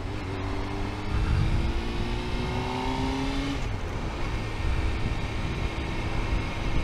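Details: 1998 Honda CBR600F: a thin, steady high-pitched whine above the engine note that holds pitch with the revs. It has been present as long as the owner remembers, with no other known problems and bearings seeming OK; the cause is unknown.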